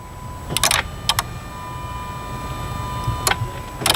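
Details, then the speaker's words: Dodge van no-start with a suspected TIPM fault, despite a new starter and new battery. With the camera inside, sharp bursts of relay clicking over a faint tone are heard, with no cranking at all; cause not confirmed. "so now that's cool because that time when I had the camera in there guys could hear relay is kicking on"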